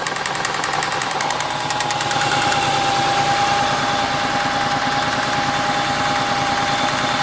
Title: St220 3.0 v6 24v engine has a knocking noise